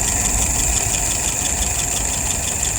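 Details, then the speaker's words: Restored WO 539S carburetor after testing and adjustment: steady low idle around 630–640 rpm, slightly busy top end, float set correctly, no misses or knocks. "Currently idling at about 630. Let's increase that. About 640."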